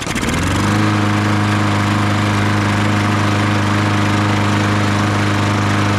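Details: Troy-Bilt TB200 push mower, Briggs & Stratton 625EX, sat outside for years, after carburetor cleaning: fires on the first pull and settles into a steady even drone with no misses or knocks; normal running.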